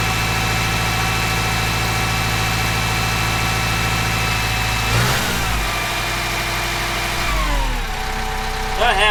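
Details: Kubota M15GX engine after a full engine rebuild, oil pressure warning light checked; steady, even diesel clatter at idle, no knocking or misses, then revs settle; owner considering checking top-end oiling; normal start and idle.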